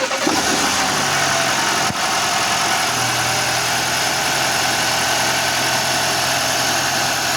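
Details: 2023 Audi Q5, 2.0 TFSI (DPU) engine at 15,000 km, after replacing a failed PCV valve and correcting camshaft cover bolt torque: even, steady idle with no stumble or hunting; stable crankcase pressure, now leak-free. Normal idle.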